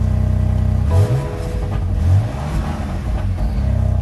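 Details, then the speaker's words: 2019 BMW M4, 3.0L twin-turbo, 454 hp, cold start with quad exhaust tips: deep, even burble with smooth rises in revs, not loud, no rasp or ticking; normal exhaust sound. "sounds cute nothing too loud"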